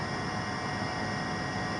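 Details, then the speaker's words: 2006 Toyota Prius (second gen) with its catalytic converter stolen, cold start with high RPM while warming; loud, raw hissing roar through the open exhaust where the cat was cut out, getting somewhat quieter once warm. "I just fired it up. For some reason, it's really loud when you first start it up. Like, the RPMs are kind of high."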